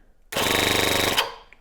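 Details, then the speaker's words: A tiny two-cylinder four-stroke nitromethane model engine's 12-volt starter with a one-way clutch gives a short burst of fast, even electric whirring and buzzy chatter, spinning the engine over. Normal starter cranking. "It'll spin the opposite way, and you don't want that, so it'll go zzz, flip it, and it'll actually crank it over because it has a one-way clutch on here."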